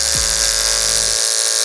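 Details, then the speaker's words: Hair clipper with a dull blade, before diamond-wheel sharpening, cutting a thick chunk of wig hair: the high buzz sags and slows each time it bites, the motor bogging and labouring, though it still cuts. "So it does work, okay? So you can hear it. Hear it slow down. But it is cutting it."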